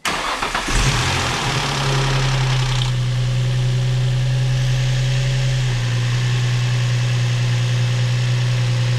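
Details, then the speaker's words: Infiniti G35, just out of limp mode, with original leaking valve covers and an oil-soaked rear plug: cranks briefly, catches cleanly, flares, then settles into a smooth steady idle; no check engine light, normal start. "she is purring purring like a kitten check engine light nothing"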